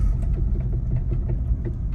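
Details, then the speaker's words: Tesla Model Y running on spare tire with Slip Start on: soft regular pulses about five a second over a low rumble as traction control pumps the left rear brake, reacting to a suspected fault at the back right wheel; pulsing felt at the brake pedal. "hear that that's the uh traction control uh here pumping that brake"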